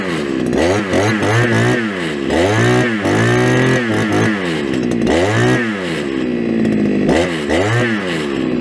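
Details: Brushcutter restarted during its first outing of the year, unused since last summer and on old fuel. A crisp two-stroke buzz revs up and drops back repeatedly, following the throttle cleanly; healthy and responsive.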